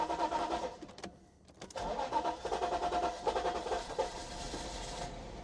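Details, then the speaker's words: 1995 Mercedes-Benz R129 SL500 5-litre V8 barn find, parked for years with an electrical issue, fresh fuel added: cranking bursts, a pause, then it fires for a few ragged seconds before fading out; starts then stalls. "There we go. We got there eventually. And you hear that 5 litre V8 fire into life and die again. But it did start for a brief moment."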